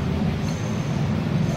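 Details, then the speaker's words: DC motor for a household water pump, checked spinning freely on the bench: a steady low hum with a slight rough buzz over it, where a new motor should run with no noise and no play. "अब हम इस motor को check करते हैं तो आप देखें इसमें भी हॉकी सी आवाज है"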